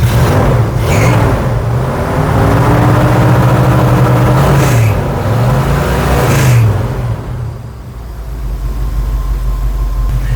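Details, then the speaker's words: 1976 vintage RV camper's engine started after a long winter: deep roar climbs and falls smoothly through several blips, then settles to a calm idle with no stumble. Normal revving. "Listen to it roar."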